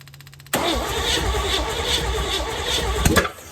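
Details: 1978 Chevy Camaro drag build, "new" small block 350 (ex-TBI, no mechanical fuel pump), MSD Street Fire distributor, Quick Fuel Brawler 650 carb, first fire-up attempt: laborious cranking for seconds without catching, ending in a sharp pop; timing too far advanced.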